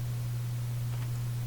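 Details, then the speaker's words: Canadian General Electric A55Z tube radio with a #41 output tube, switched on for cathode and bias voltage checks: a deep, pulsing mains hum from the speaker that smooths out but persists, cause unknown. "There's that hum. Sounds like a very deep pulsing hum."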